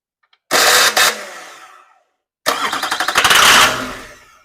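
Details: California GM LB7 Duramax diesel with no fuel in the tank, fed ether while troubleshooting a no-start: two cranking bursts with rapid sputtering catches that die out and heavy smoke; ether-fired sputter, no fuel.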